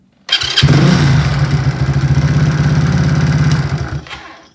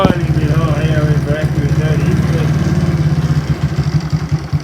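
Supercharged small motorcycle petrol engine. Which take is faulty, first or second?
second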